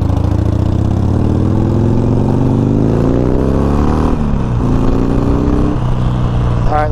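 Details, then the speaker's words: 2019 Harley Sportster Iron 1200 road test after removing and cleaning the rear brakes: engine winds down smoothly coasting to a stop under light rear brake, no squeal. Years-long rear brake squeak gone so far. "nothing so we're pretty good so far we've coasted to a couple stops i haven't heard any squeaking yet"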